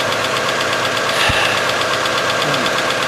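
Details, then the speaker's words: 2001 Chevy Cavalier 2.2L after starter motor replacement (old starter spun without engaging the flywheel): steady even idle with a smooth hum and no knocks or misses; the faulty starter was the problem. "Oh, there we have it. So she's running now. Alright, so that was our problem, the starter."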